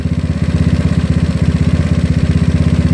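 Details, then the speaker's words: GY6 scooter with an OKO PWK 30mm carburetor, air screw opened about two and a half turns counterclockwise: a low, lumpy, heavy pulsing idle about four beats a second, "papa papa". Mixture off, judged rich; air being closed back. "it's kind of spotty it's like Papa Papa papa so you don't too much rich you're getting too much air in there air and fuel"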